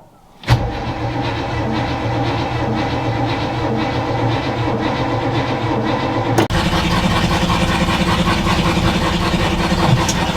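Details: 1962 Chevy C20 3/4-ton pickup, all original, automatic with factory AC, about sixty years old, started with choke fully on: half a second of cranking, then it catches and settles into a steady, even idle with no stumbles or misses; sounds healthy.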